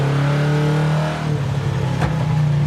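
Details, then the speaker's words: 1968 Plymouth Satellite Road Runner clone, 383 V8 with carburetor and four-speed, pulling under load: uneven, lumpy note with faltering pulses. Running rough; crew suspects it needs to warm up or has bad gas in the carburetor. "why do it run so terrible I don't know that's why I thought that was third gear maybe it needs to warm up that's"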